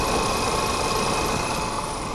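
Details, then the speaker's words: Seat Ibiza after new turbo actuator fitted, fresh start at idle with no rattle, no fault codes; thin steady squeal of unchanging pitch from the auxiliary belt, not yet changed, gets quieter after a bit; needs replacing. "sounds okay there is a little squeak coming from the ORS belt"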